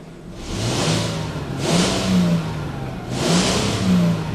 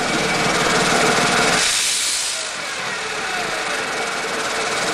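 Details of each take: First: 1998 Mercedes E320 after a disintegrated, melted passenger-side catalytic converter blocking the exhaust was found; a hole was made to bypass it. Three clean rev swells with no misfire or hesitation, plus hiss from the hole. Check-engine light not yet reset. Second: 1998 Mercedes E320 running with a hole pierced in the exhaust to bypass a disintegrated, blocked passenger-side catalytic converter; a loud, airy hiss pulses about four times a second from under the car, and the engine runs fine.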